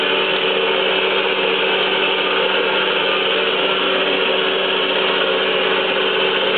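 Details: 3B71M surface grinder after hydraulic cylinder repair (bent rod replaced, damaged piston): the table traverses with a steady, even hiss and whir, no knocks or surges. Previously it failed at low speed and leaked oil; now smooth with no leaks.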